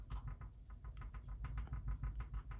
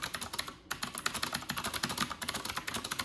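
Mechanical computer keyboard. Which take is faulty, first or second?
first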